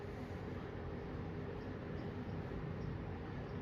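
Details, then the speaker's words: 1974 Kmart (Lakewood) P23 20-inch box fan, grills not original, on low speed, heard about 6 feet away: smooth, even airy whoosh with faint steady hum, no ticking or rattle, already moving a decent breeze; normal running on low. "It's already moving a decent clip of air. I'm probably standing about 6 feet away from the fan, and I'm already feeling a decent breeze."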